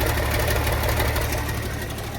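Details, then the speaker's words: Abandoned IH 4166 tractor diesel, sat since about 2015-2016, idling after start: rough, loud raw popping exhaust beat because the turbo has rusted off, exhaust escaping unmuffled. "That's why it sounds so good, right? Sure. Makes you wonder how long it sat outside. I've never quite seen a turbo rusted off like that."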